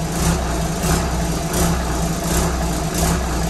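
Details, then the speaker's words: Cummins diesel newly installed in an old lobster boat, first start, cooling through a heat exchanger, exhaust not finished: fires right up into a low, steady idle with an even thump, no knocks or misses; runs happily. "damn this thing fires right up that's a huge relief off of my shoulders"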